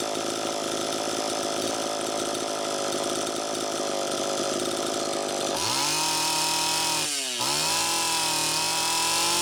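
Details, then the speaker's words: Homelite Super EZ chainsaw after new crank seal: racing, screaming idle with idle screw far out, revs dipping and surging; still an air leak, traced by electronic cleaner to intake manifold. "see how far out i have that idle speed screw still screaming air leak"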